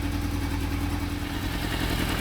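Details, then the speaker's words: Yamaha FZR four-cylinder sports bike idling after a few minutes of warm-up from a choke start, temperature gauge rising while waiting for the coolant fan: a steady, even burble with no misses or hunting; it idles cleanly. "So, yeah, been running it for a few minutes. idly nice."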